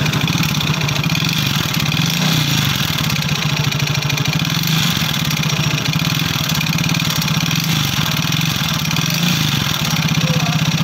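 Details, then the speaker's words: Yamaha Soul GT scooter, oil not changed for three months and nearly empty: rough, loud idle with a harsh clattery rattle over the low beat; scored piston and cylinder from oil starvation. "kali ini ada pasien Yamaha Soul GT untuk belahan motornya dari suara mesin berisik guys"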